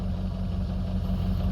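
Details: Ford 6.0 Powerstroke diesel after a remanufactured FICM was installed: low idle with an uneven, lumpy beat; contribution test shows drops on cylinder 7; one cylinder dropping out from a failed injector.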